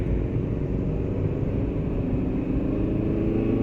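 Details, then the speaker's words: 2011 Maruti Suzuki Eeco on CNG then petrol, accelerating through third and fourth gear above 60 km/h after silencer noise repair; smooth even engine drone, no exhaust rattle or blowing; normal running. "कोई कोई आवाज नहीं है, लेकिन इस से पहले इस स्थिति में एक आवाज आई। सभी कुछ तो सही है।"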